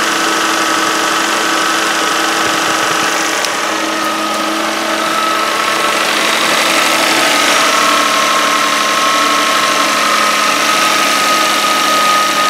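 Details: 2013 Kia Sorento AWD, 3.5 L V6, just under 80,000 miles, cold start with the microphone close to the serpentine belt: steady grinding groan with a thin whine at idle; owner suspects a worn idler pulley bearing.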